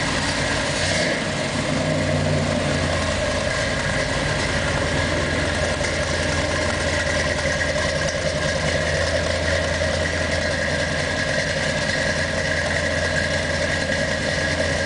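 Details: 1963 Corvette split window, first start: V8 settles into a steady, even idle with deep rumble and no obvious knocks or misses.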